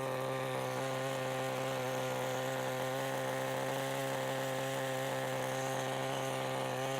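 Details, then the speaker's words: 1988 Kyosho Ford RS-200 RC car, OS Max 10 FP-B nitro engine, second startup after restoration; high steady buzzing without sputtering, no cut-out on full braking; normal running. "and it sounds like we're ready to go with a little warmer"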